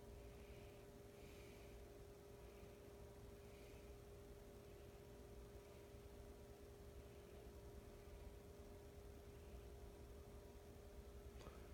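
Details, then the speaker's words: Emerson Heat Fan K63 52-inch four-blade two-speed blender ceiling fan with plastic blades, restored with downrod and two-speed pull chain, on a solid-state variable speed control at low: soft steady hum, faint even whir, no ticking or wobble; very quiet. "quiet very little buzz and huntin very little hum on this you have to go right up to it demon hear it"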